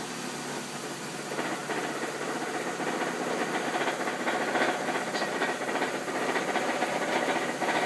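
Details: 2001 Ford Focus at idle: a dry, fairly quick rattle from the belt housing that goes away on throttle or at highway speed; torque bolts were checked, cause unknown.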